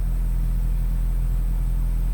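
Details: 2003 Nissan Altima four-cylinder, after repair of no-start: steady low rumble, even unbroken idle, no misses or knocks; normal idle, problem solved.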